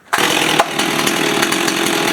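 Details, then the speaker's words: 1990s Stihl 026 Farm Boss 46cc chainsaw with 16/20-inch bar, chain sharpened about two years ago, hot start: catches on one pull and settles into a crisp, even high-pitched buzz without stumbling; starts wonderfully. "All I did was just bump the metal at the front, and I did sharpen the chain on it about 2 years ago, and it starts wonderful."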